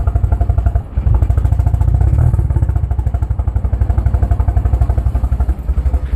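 Lumpy, uneven thumping idle just after a cold start, with a clear stumble near the start and irregular pulses; a cylinder is misfiring.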